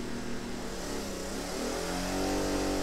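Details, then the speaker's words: 1000 W Sportsman inverter generator powering a microwave on medium setting: engine note sags and wavers, pitch drifting as it strains, overload light on, then it dies; labouring and stalling under electrical overload. "you can hear her trying got the overload light on yep she died"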